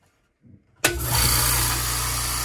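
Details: New California Air Tools air compressor, first start with air filters fitted: starts cleanly and settles into a steady, even, quiet hum and hiss with no knocks or rattles; healthy.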